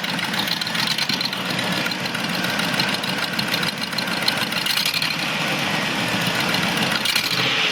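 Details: 2004 Land Rover Discovery sounding like a muscle car: sharp raspy puffing at idle with loud hiss; exhaust leak, fixed by replacing the exhaust manifold gasket.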